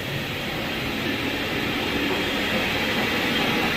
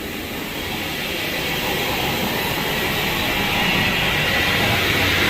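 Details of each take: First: 2018 Ford F-150, customer reports wheel bearing noise at front right while driving. Wheel bearing check on the front left hub: a smooth steady whirr with no growl or grinding, so the bearing is normal. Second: 2018 Ford F-150, customer reported front wheel bearing noise but front corners were quiet: steady howl under road rumble swelling with speed, felt inside, in two-wheel drive; rear differential side bearing and possibly axle bearing worn, rear end needs rebuild.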